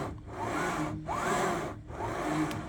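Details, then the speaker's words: Anycubic Kobra 3 Max printer bed pushed by hand after fixing a grindy, bumpy movement (likely a warped pressed-steel plate): three even back-and-forth sliding strokes with a soft rush and no catches or scraping. The bed glides smoothly. "it's pretty smooth."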